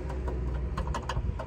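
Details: Rear of a Toyota 4Runner after securing the spare tire carrier with tape and zip ties: steady low road rumble with only a faint stray tick over bumps; spare carrier now quiet and secure.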